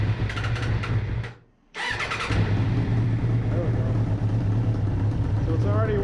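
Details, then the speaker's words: Suzuki RF900 motorcycle, first start-up of replacement engine, started in gear due to stripped shifter shaft, worn throttle cables: steady even low rumble after a brief cut-out, no knocks or misses; warm engine running smoothly. "but I actually got it to start and this thing sounds sweet listen to this"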